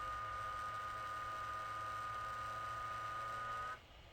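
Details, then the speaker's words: ASUS GL504G laptop fan: a steady high whir that cuts out abruptly as the fan randomly stops and restarts by itself. It gets noisy as it speeds up. The technician suspects the customer's canned-air use caused it. "so when it spins faster and faster it'll get noisy and then the fan will just stop spinning and then it will start again"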